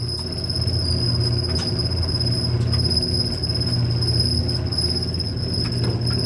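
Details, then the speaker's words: Old Whirlpool Cabrio dryer running: steady high-pitched squeal over a low tumbling rumble, shaky and squealy, from a worn idler pulley bearing (W10547292). "Yeah. It sounds like like like shaky and squealy."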